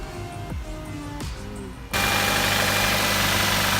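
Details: Nissan Qashqai after auxiliary belt replacement for a squeaky belt: smooth, steady idle with no chirp or squeal from the belt drive.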